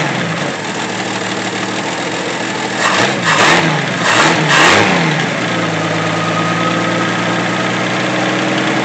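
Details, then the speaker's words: 1964 Pontiac Tempest inline-6 with a new budget carburetor, idle mixture screw turned clockwise to lean out a rich mixture: steady, even idle with one brief rev that settles cleanly. Seems better, but more road tests needed; normal idle. "I believe that's a whole lot better, but it's just going to take a few more road tests for me to really be 100% comfortable."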